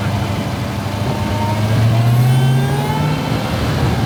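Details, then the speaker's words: Crashed Dodge Hellcat SRT V8 after rebuild and reinstall: deep roar climbing smoothly through the revs with no knocks or misses. A healthy engine. "Guys, listen to that, it sounds so good."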